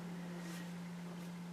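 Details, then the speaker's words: Rinnai tankless water heater after self-service cleaning and reassembly, water valve opened: steady, even hum with soft airflow rush, no straining or surging; blower fan sounds healthy. "so as you can hear it's almost more of airf flow rather"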